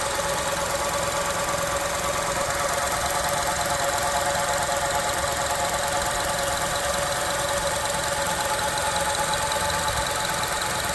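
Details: 2006 Honda CR-V running: constant hum with a faint higher whine on top, even throughout; owner cannot locate where the humming comes from.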